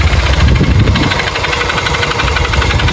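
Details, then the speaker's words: Motorcycle brought in for engine noise; at idle, a rapid, uneven, low, heavy clattering knock about four per second. Engine also smokes and throws oil. Internal engine noise, cause unknown. "E aí, qual o problema da moto? Fazendo barulho no motor. Tá fazendo o quê? Barulho no motor."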